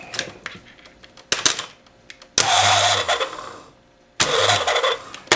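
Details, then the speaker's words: 1972 Evinrude 18 HP outboard, intended electric starter tested with a power pack clipped to its wire and grounded: short bursts of cranking, clean flywheel engagement, no grinding or slipping; starter works normally. "we can just clip that wire up there and then should be able to hit a ground somewhere we get she's engaging good"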